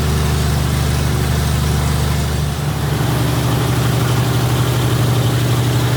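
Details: Freshly rebuilt 1977 Toyota 2F engine in FJ45 (new rings, bearings, shaved head, new carb, headers) during 1,500 rpm, 15-minute break-in; smooth, deep, steady rumble with one small shift in note, no knocks or misses: normal fast idle.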